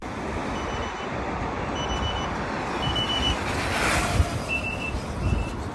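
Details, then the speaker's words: Veteran Abrams electric unicycle at speed: short, high-pitched overload beeps over road and wind noise. They sound when motor or control board power use exceeds 70%, starting around 73–74 km/h at full charge. "so if the motor power or the control board power usage is over 70 percent you will hear beeps and yeah they're just really audible even better than on the sherman"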